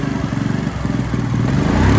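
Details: Honda CG 160 with high mileage, hesitating while riding: single's exhaust beat picks up when revved but keeps skipping and stumbling; misfire, carburetor out of adjustment and spark plug also suspected.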